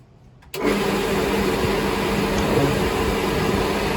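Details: Pool pump motor that had only buzzed and would not start due to a failed start capacitor; after cleaning and reconnecting the capacitor, it switches on at once and settles into a steady, even hum and whir; normal start and run.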